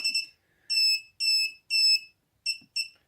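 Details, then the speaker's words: Mobula7 FlySky quad powered by battery, arming attempted via Turnigy Evolution transmitter switch: high shrill beeps, two short, three long, two short, meaning it is not armed; fixed by briefly removing battery and powering on again. "that's not good if you hear that beeping that means it's not armed"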